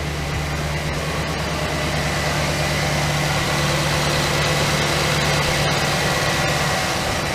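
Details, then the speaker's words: 2008 GMC Sierra 1500 5.3 LS V8 at first start after lifter replacement, head and intake removed, having sat a week: smooth, even idle, steady low rumble, no lifter tick, misses or exhaust leaks. "all right fuel pump all right everything's good ooh sounds good all right all right we're good sounding good"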